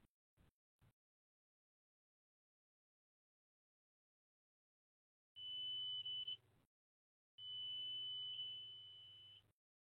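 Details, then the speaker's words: Two long, high, steady warning beeps over a low hum as the analyzer flags reversed current probe polarity after the probe on a phase was deliberately flipped 180 degrees; fix is to swap the probe to the right direction. "so if you were able to hear that the RW beeps are regularly saying that there was an issue and the issue with this said was the polarity of your current probe might be a bit off you might need to not do what I did and swap it the right direction"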